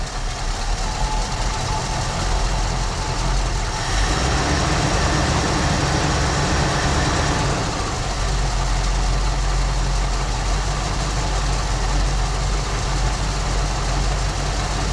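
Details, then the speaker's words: 1974 Ford Bronco V8 just after first start in over 16 years, following fuel system work; once owner thinks all 8 came in, deep even quiet idle with no skips or ticks; runs great. "Nice and quiet, guys. You gotta be kidding me. Give it just a little bit of idle. Outstanding, guys. Runs great."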